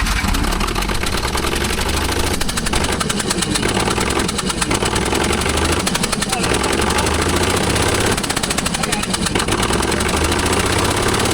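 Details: Old Allis Chalmers forklift engine, not run for two years, started with no spark plug in one dead cylinder: rough, lumpy low idle with a sharp regular tapping each firing cycle, puffing through the empty plug hole; misfire.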